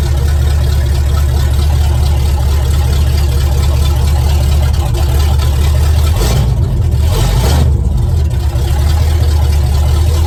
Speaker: hey it sounds good